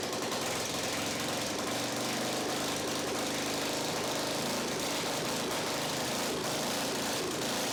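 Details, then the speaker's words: Victa 10-42 / MTD 145-760A lawn tractor, ~50 years old, covers off, no muffler, carb dripping fuel: loud raw single-cylinder bark, steady even beat, no misfires; healthy. "Okay, it works. Awesome. Now that we know that it starts, I suppose the next question is, does it drive?"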